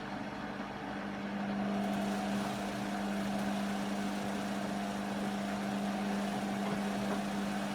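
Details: Beko WM5100W 5kg washing machine, found on the street and plumbed in, run on rinse and spin with rags inside: a loud steady motor drone at a fixed low tone under a rushing drum roar during spin; cause not pinned down.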